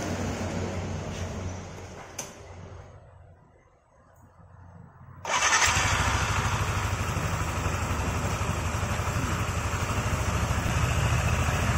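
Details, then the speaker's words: Yamaha NMAX CVT after reassembly: the engine settles into a smooth, even idle with no more rattling; the earlier rattle came from a wrongly fitted front washer, corrected, with the damaged nut replaced. "halus ya suaranya nggak ada bunyi kletek-kletek lagi ya berarti masalahnya cuma sepele ya salah dalam pemasangan ring yang depan ini"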